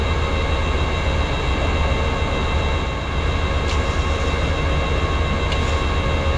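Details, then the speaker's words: Tow and Fert Multi 1200 tractor working a paddock under steady load: a strained, whining hydraulic pump tone over the engine drone as the hydraulics starve because the transmission oil ran out. "so when I started doing that padic down there the tractor started starving for oil or the Hydraulics you could hear it really getting quite noisy and um I'd run out of transmission oil"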